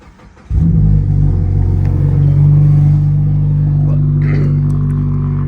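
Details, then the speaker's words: Lowered Mazda with 65,000 miles, cold start after the resonator or possible secondary cat was chopped off the exhaust. It catches quickly and settles into a loud, deep, droning, boomy cold idle: loud exhaust from the missing resonator. "the last part that is actually like a resonator or I think like a secondary cat or something like that but we chopped it off so we're going to have to hopefully get that rewelded back on"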